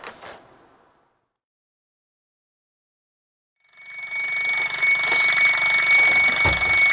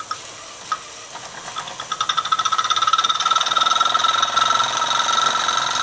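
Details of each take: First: Mamod SR1 steam roller (c.1963–66) running on a rolling road. After a quiet pause, a sharp hiss with a thin steady whistle builds and holds; the safety valve seal failed under pressure and is venting. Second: Mamod SR1 toy steam roller, probably 1965/66, runs smoothly with rapid, even chuffing over soft steam hiss; slight leak from the whistle and some exhaust water in the chimney noted.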